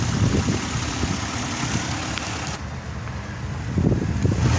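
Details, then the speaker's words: Rebuilt salvage-title 2007 Pontiac G6 convertible, almost 100,000 miles, at idle in heavy rain: smooth, even low rumble with no knocks or ticks and no smoke from the dual tailpipes; engine sounds healthy. "engine sounds pretty good nothing billowing out the tailpipes dual tail pipes"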